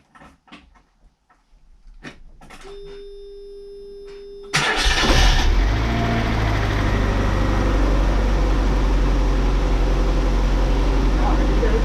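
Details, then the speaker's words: Mazda MX5 NA Eunos Roadster starting just after replacing the leaky valve cover gasket (oily spark plug before): a whir and clicks, then an even, steady idle and smooth revs. It sounds much better, though a small port leak may still need monitoring. "yeah it definitely felt a lot yeah but it sounds a lot better"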